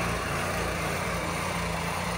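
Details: Onan 4000 W RV generator after a tune-up (new air filter, carburetor and spark plug, fresh oil, overfilled oil reduced, governor spring eased): steady, even drone with no hunting or surging; surging fixed.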